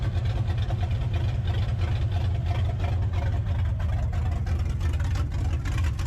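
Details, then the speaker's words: 1984 Mustang GT350 V8 with 268 cam on open headers, warming up: deep loud lumpy choppy idle, owner briefly wondered about a miss; steady and healthy. "That's that 268 singing, man. It's a good one."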